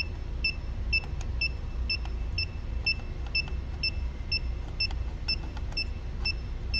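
Short, crisp high-pitched beeps come about twice a second over a low hum: the breaker finder receiver is scanning normally.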